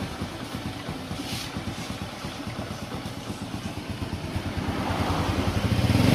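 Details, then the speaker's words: Honda Supra X 125 after repair; the metal-rubbing noise in the clutch housing was caused by a worn bearing. The single cylinder putters evenly at idle and builds smoothly when revved, with no scraping. Normal idle and rev. "Nah untuk hasil produksinya sudah normal lagi ya teman-teman dan bunyinya pun sudah halus lagi atau tidak kasar lagi"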